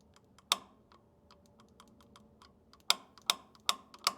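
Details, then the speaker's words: Farmall Super M tractor that hasn't been started in a while, ignition on, engine not running: faint irregular sharp snapping ticks of spark jumping intermittently, thin and weak; cause unconfirmed, battery voltage to be checked. "but it is weak I do not even looks like a pretty weak spark"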